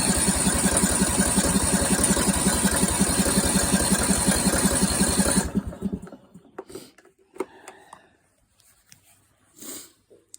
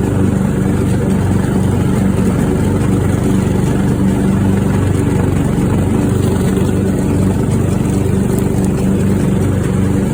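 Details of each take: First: Craftsman riding mower after replacing the fuel shutoff solenoid and fuel filter, before the new spark plug and fuel treatment: regular thumping turnover at about three per second for five seconds, then it dies away. It fires but won't keep running. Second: Craftsman riding mower after new fuel shutoff solenoid, fuel filter, spark plug and fuel treatment for suspected water in fuel: steady, even engine drone with no misses, surges or knocks; now runs smoothly.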